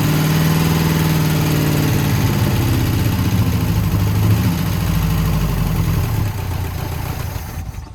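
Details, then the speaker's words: 1971 International 1210 pickup, sat 30 years, first start on jumped battery: old V8 races at a high steady idle then sags and dies; the throttle cable is too short for this carb, holding it open. "we figured out why it was i like revving so high the throttle cable is too short for this carb so we just got to adjust it"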